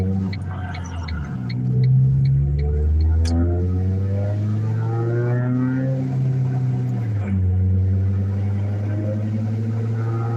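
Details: Worn wheel bearing: steady low droning growl while coasting in neutral, tracking road speed rather than engine revs.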